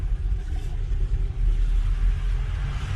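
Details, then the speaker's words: 2018 Hyundai Elantra engine running after CVVT and timing chain cover replacement: low steady rumble, no top-end rattle or stalling when turning right; oil pressure holds 15 psi below 1000 rpm instead of dropping to 5 psi. "so far we don't have any stalling issue or noise on the top end right"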